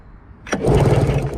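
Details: Polaris Ultra 680 triple snowmobile (about 1996), sat 7 years: the starter spins the engine with an even chug but it never catches. It has spark and compression, the fuel line and filter are dry, so timing or no fuel is suspected.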